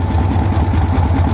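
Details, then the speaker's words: 1976 AMF Harley-Davidson Ironhead Sportster chopper on a long road trip, parked at a dealership: steady V-twin idle with quick even firing pulses, almost 1500 rpm; idle set too high, then turned down. "I think I can get that idle down a little bit. I think it's idling a little high. Almost 1500"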